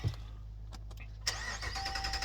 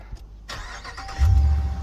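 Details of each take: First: 2019 Dodge Ram Rebel: after a few clicks the starter turns the engine at about four beats a second without ever firing; fuses and relays fine, crank no start from floor mat holding throttle open after interior cleaning. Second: 2019 Dodge Ram Rebel, after a crank-no-start caused by the floor mat slightly pressing the throttle; with the mat moved, a short crank, then the engine catches cleanly and settles into a steady low rumble, starting normally.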